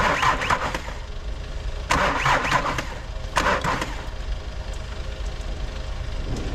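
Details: 2016 VW Tiguan 2.0 TDI: several cranking bursts about two seconds apart, each whirring without catching; diesel cranks but will not start, cause unknown.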